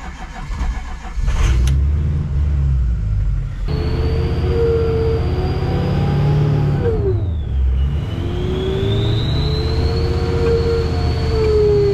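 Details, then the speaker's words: 2003 Ford F350 Super Duty 6.0 diesel 4x4 after power steering pump replacement, at about 2000 rpm: steady high whine that dips as brakes are applied; power steering pump whine, possibly not fully bled. "well it's definitely whining right there you get that wine that's the pump it may not be fully bled"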